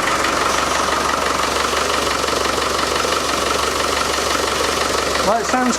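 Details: Land Rover Defender 110 diesel after front crankshaft seal work, temporary power steering pump fitted, ATF slightly short: steady idle with even light clatter and faint whine, no bearing rumble; normal idle, quieter than before.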